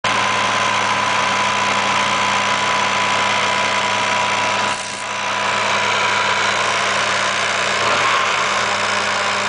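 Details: 1986 Nissan 300ZX turbo at idle: fast light ticking about three or four a second with a faint buzz over steady idle; owner suspects the AAC valve, source not confirmed.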